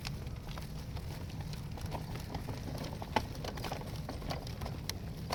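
Soft, fairly regular clicks over a low rolling rumble while the stroller is pushed; a repetitive click from the wheels or frame, cause unclear.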